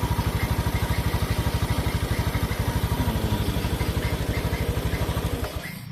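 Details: Honda Beat scooter after repairing the starter wiring fault (clicking starter, MIL code 52, CKP sensor circuit): even, steady firing pulses at relaxed idle with no misses or knocks; runs smoothly.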